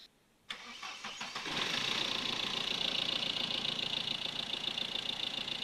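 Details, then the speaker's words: Mahindra Scorpio diesel after the noisy belt-drive pulley (lowest adjuster/tensioner pulley, found by spinning pulleys with the belt off) was replaced: fires after a short crank and settles into a steady, even idle with no squeal or rattle; normal idle. "तो आप देख सकते हैं कि हम लोग का गाड़ी का साउंड जो है कितना मस्त हो चुका है"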